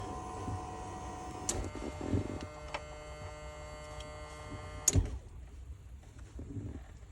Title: Bad fuel pump 2019 mustang GT. Fore innovations